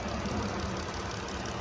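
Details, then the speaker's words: 2020 Jeep Wrangler Sahara with 3.6 V6, engine bay clean: smooth even idle hum with no knocking or ticking; engine sounds healthy. "Awesome, and it sounds good. No knocking, no ticking, and it is the 3.6 engine that everybody loves."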